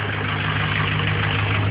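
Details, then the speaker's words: Ford 6.0 Powerstroke diesel idling, heard at the tailpipe with the solenoid unplugged: steady, even low hum, exhaust normal, no grinding; with the solenoid plugged in, a nasty grinding appears. "Sounds pretty normal. Exhaust sounds normal. No weird grinding sounds or anything."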